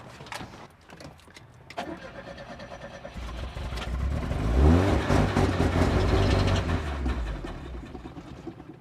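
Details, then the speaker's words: Classic Fiat Spider after replacing the mechanical fuel pump with an electric pump on a relay. Cranks, catches on starter fluid for a few seconds, then dies, though fuel is reaching the engine. A flooded cylinder is suspected. Fires briefly on starter fluid only. "That's just the starter fluid going, not the actual motor, but there is fuel getting in there, so sounds like we might have a flooded cylinder."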